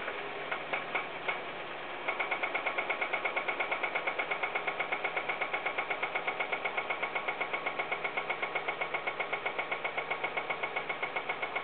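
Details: Hyundai Coupe engine running with a sharp, regular knock about four per second over the idle, steady throughout; a distorted connecting rod was found to be the cause.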